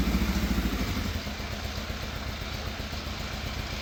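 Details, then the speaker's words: Fire-damaged Yamaha FZ750 four-cylinder, 41,000 miles, jump-pack start after throttle cable and idle screw adjustment: lumpy idle pulsing about three times a second, ragged drone, then cuts out; rough running on all four, cause unclear. "it is firing on all 4 cylinders because it's running, but it does not sound happy."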